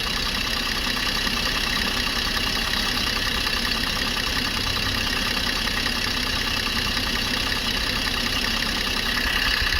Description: Here's a better video of the engine noise.